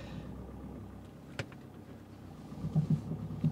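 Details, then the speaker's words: VW Transporter van, before fitting Bilstein B14 coilovers: a low rolling rumble, then dull clunks close together as the van turns. Broken offside front coil spring. "spring the cor Springs broke on the offside front so turning is risky"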